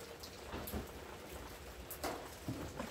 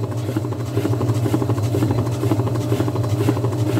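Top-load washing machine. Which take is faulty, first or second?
second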